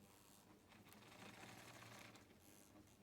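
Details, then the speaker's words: Old Lima Class 37 model locomotive at a crawl with low power: small motor buzzes and chatters unevenly, surging in fits; jerky low-speed running, better in one direction. "not bad it's jumpy but yeah I've not touched the power so it is a bit jumpy but it's an old model so yeah"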